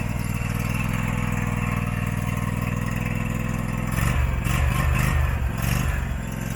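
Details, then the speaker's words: Abandoned Husqvarna mower, possibly a 2002, V-twin, first start: low thumping idle swells and sags unevenly after four seconds; surging idle, owner suspects the carburettor. "good Lord that's freaking awesome you can definitely tell it surges the carburetor like all that stuff I showed you"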